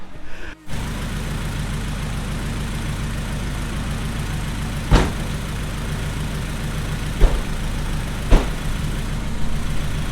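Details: Honda CRX with a freshly assembled B20/VTEC engine. A crankcase vacuum high-pitched noise was fixed by venting the breather and blocking the intake vacuum nipple. Steady, even low idle with a smooth exhaust beat and a few light background clunks. Normal idle.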